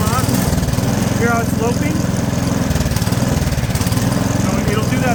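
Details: Craftsman 24-inch snowblower, 4-stroke gas engine, already warm, just started with the throttle at a low setting: a small single-cylinder engine chugging at idle with a lumpy, hunting beat that rises and falls. Uneven idle, cause not stated.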